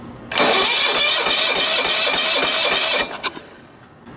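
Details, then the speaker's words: Late-1980s John Deere RX95 riding mower, found abandoned, with water likely in the carburetor and a low battery, sprayed with contact cleaner as a starting aid: the starter churns rapidly for under three seconds and the engine nearly fires but doesn't catch. "it sounds like it's gonna fire let's try this contact cleaner first"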